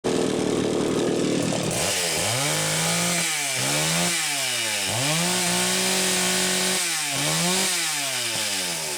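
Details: Super XL-925 chainsaw, final bench test run after repair: crisp two-stroke blipping from idle to high revs and back, picking up cleanly each time without bogging; normal running.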